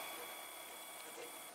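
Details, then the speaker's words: Protomaker 3D printer on RAMPS with LCD 12864 controller, basic test with only the X-carriage stepper connected and no endstops: quiet, even high-pitched stepper whine with soft chatter as the carriage travels the expected distance; normal motion. "this again so you can see that the like X carriages moving for somebody as it should be sounds like it's moving and seems to be moving about the distance I would expect"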